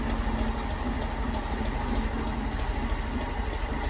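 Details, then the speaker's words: Land Rover Series 2.25 petrol, first start in about two weeks, during a service: a low, soft, even idle without clatter or stumble after the choke is backed off. Exhaust just warming, block still cold; normal cold idle. "I'll try and back the choke off a little bit. That's better, nice and quiet now, isn't it? Exhaust is just starting to get some heat."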